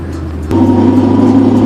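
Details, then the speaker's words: BMW E36 with a reported grinding-in-gear complaint, driving in fifth gear: steady even engine drone under load, no grinding or whine; gearbox quiet in fifth. "Third gear. Fourth gear. Fifth. Quiet as a mouse."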